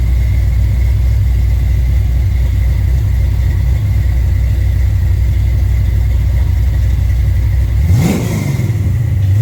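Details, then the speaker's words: Mustang V8 with Holley Sniper fuel injection on a dyno: deep, even rumble holds steady, then revs sweep up cleanly near the end; runs good, though it shows blow-by, burns some oil and tire slip; normal engine revving. "So you can hear the car's running good, but I don't know if you guys are able to see."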